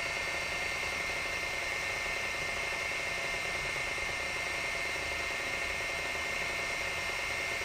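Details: Sharp PC-4500/PC-4521 laptop hard drive on first boot after bending away the arm-locking mechanism that had kept the heads stuck: a steady high, thin whine under faint mechanical chatter as the drive spins up and runs normally.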